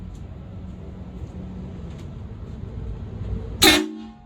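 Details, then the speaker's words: HornBlasters 244 train horn kit on a GMC truck, tank filled to 150 psi: quiet room hum, then one sharp loud air-horn blast cutting off cleanly, normal operation. "it stopped tearing up at uh what is it 150 psi so i'll go ahead and hit the horns and see how loud it is"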